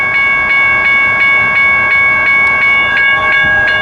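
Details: Richard Arrington Jr. Boulevard railroad crossing #1, Birmingham, AL, GS Type 1 bell ringing nearly three strikes a second with no train passing: crossing stuck active; observer suspected standing ballast cars, later found to be stored hoppers.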